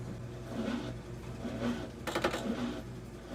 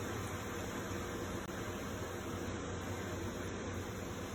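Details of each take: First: Brand-new Comfee 0.9 cu.ft portable washing machine (CLV09N1AMG) on rinse cycle; quiet hum then sudden short rattling buzz, abnormal running noise of unclear cause, after which it stops and asks for water. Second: Comfee 0.9 cu.ft portable washer (CLV09N1AMG) washing a pretty big load, base slot slid under but left unscrewed: even low motor hum with steady churning swish, no knocks or rattles; normal wash cycle.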